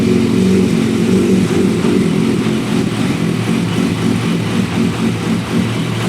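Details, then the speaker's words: Motorcycle engine/powertrain donor for formula car, sitting a long time, FI light on, fresh fuel added: uneven, lumpy running with irregular surges that gradually smooths out; rough after long storage, runs on its own fuel, has a big coolant leak. "Sounding better and better as it runs."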